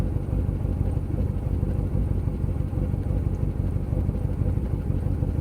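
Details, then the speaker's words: 2005 C6 Corvette V8 during a fuel pressure test (about 50 psi, no significant drop): a deep idle that stumbles, pulses and jumps all over. The rough idle persisted after new plugs, coils and cables; the cause was a broken valve spring. "so I'm gonna try it with the engine on again to hold idle it's jumping all over the place"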